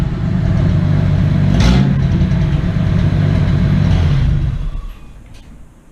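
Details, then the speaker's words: Engine with the disintegrating catalytic converter cut off, now running headers to a couple feet of pipe after a fuel injector replacement: a loud, deep, unmuffled rumble that holds steady then dies away. "so I ended up just cutting the cat off so right now I'm running headers to a couple feet of pipe so it's pretty loud it's pretty ridiculous"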